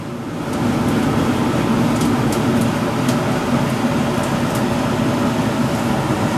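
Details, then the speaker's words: Sonofresco 2 lb gas fluid-bed coffee roaster at 185 °C (365 °F): scattered sharp pops, a few per second, over a steady roaring fan as the beans go through first crack. "here we are at 185 degree, which is, let's see, which is 365 Fahrenheit. That's where the first crack started. And it's going through the first crack."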